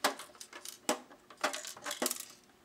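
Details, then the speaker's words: DDS844 cheap electricity meter, unopened, shaken: irregular bright clinks and light clunks in bursts; a loose internal part rattling inside the case. "so as you can hear it has the rattling and a"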